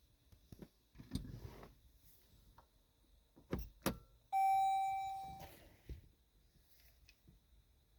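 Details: Vehicle with a programmed key that won't start. A few scattered clicks and handling, then one clear, steady electronic beep about a second long. A no-start warning whose cause is unknown.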